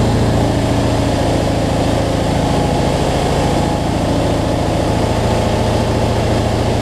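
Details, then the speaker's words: Cub Cadet zero-turn mower, Briggs V-twin, after adjusting a governor that let it race out of control and fixing rich running: even, steady low thrumming pulse, no surging or hunting, no black smoke; battery still not charging. "so much better though no black smoke so so all right let's see we got multiplied"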